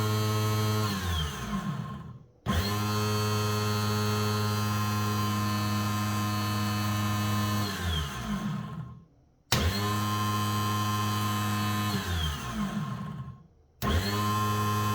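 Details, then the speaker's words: 1985 Suzuki LT300 quad starter motor bench-tested after cleaning off caked dirt: three short spin-ups that sag and wind down quickly; the starter sounds weak, and replacement is being considered. "It sounds a bit weak, if you ask me."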